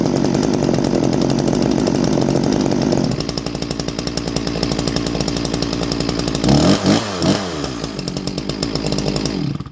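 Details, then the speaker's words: Farmertec G366 ported chainsaw, first start: 80° timing (160 duration), squish 21 thou, factory unmodified muffler; crisp two-stroke idling evenly then snapping up cleanly on throttle blips with no bogging, sounds strong, normal healthy running. "But yeah, Dusty Sauce sounds really good. Sounds really strong."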